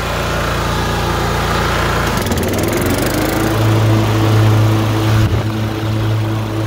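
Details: LT1040 riding mower after valve cover gasket reseal with silicone and pulley replacement: rough start settling into steady even low hum, smoke gone; running healthy.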